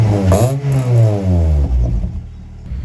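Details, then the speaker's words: Ford Fiesta ST150 with newly fitted Toyosport stainless non-resonated exhaust and 200-cell high-flow sports cat: deep loud rumble rising and falling with throttle blips, no rattle; normal start-up and revving. "Oh, it sounds Yeah, it's quite nice, I think so."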